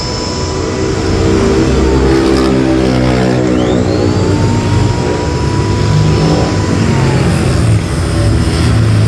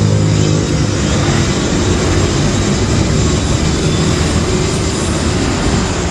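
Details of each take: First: Electric wood planer after armature repair, tested under load: steady even motor roar with no stumbling, crackle or sparking; running smoothly and healthy. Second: Electric wood planer throwing sparks from the brush area: steady high motor roar with harsh rough edge, no load changes; heavy brush arcing from burnt armature commutator segments, carbon brushes checked.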